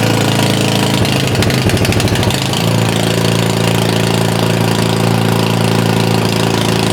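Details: Simplicity SS922E single-stage snowblower just serviced, running outdoors about 50° colder than the 60° garage where it ran fine: hunts up and down, then settles to a steady idle; owner suspects the carburetor needs more cleaning.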